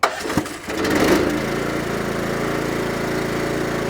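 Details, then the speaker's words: Pony motor on a used trailer with a dead battery, jump-started from a portable jump starter: brief cranking bursts, then it catches and settles into a steady, even buzzing run until shut off; starts fine. "So that's good. It works fantastically on pony motors."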